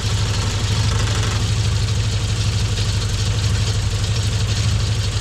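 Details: Frogeye Sprite four-cylinder at warm idle after tuning and a new coil to cure a misfire: steady, even low burble with no stumble or skipped beats; misfire appears cured, engine running clean.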